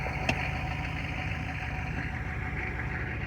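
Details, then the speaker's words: 1993 Chevy 2500 turbo 6.5 diesel after fitting a replacement DB2 injection pump, which replaced a faulty pump that smoked heavily. Smooth, even idle rumble with no misses or knocks and no longer heavy smoke. Normal, healthy idle. "Yeah, this is running much better. Not afraid to start it for fear that someone's going to think my garage is on fire because of all the smoke puking out of this thing."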